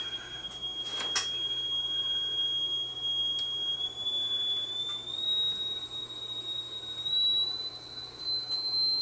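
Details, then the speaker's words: Sony TC730 reel-to-reel that ran slow at all speeds, after replacing the IC whose reference voltage was wrong: a clean test whistle climbs slightly and settles steadily at the correct 4 kHz, speed fixed. "oh good it was the icy cool so what it was was the reference voltage from the IC was wrong and that was throwing everything else out of kilter but there we go I got my 4 khz"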